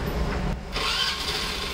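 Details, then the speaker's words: Hero Pleasure scooter after a repair for starter noise caused by a bent crankshaft: short, clean starter spin that catches straight into an even idle with no grinding or knocking; a normal quiet start. "वह अभी नहीं रहा है बिल्कुल silent तरीके से गाड़ी चाहिए फिर से एक बार आपको मैं चालू करके दिखाता हूं"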